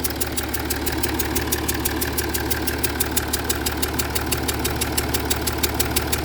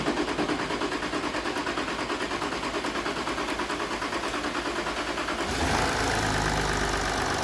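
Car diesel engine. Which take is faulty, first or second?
first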